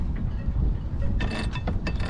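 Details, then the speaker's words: Barient 27 sailboat winch, before servicing, twice previously disassembled: rough ratcheting clicks in uneven bursts with clunky low rattle as it turns; lots of play, works only partly, worn and sloppy. "It works-ish right now. There's a lot of play, and it sounds like crap when it's being used."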